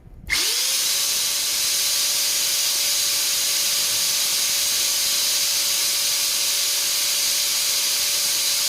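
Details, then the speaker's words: Multipro ESP99HP electric spray gun motor, housing open, during bearing replacement: spins up in half a second to steady mid-pitched whine under loud airy hiss, about 110 dB at the motor; smooth healthy running. "di angka 110 ya di angka 110 DB dia dalam kondisi terbuka begini langsung di mesinnya"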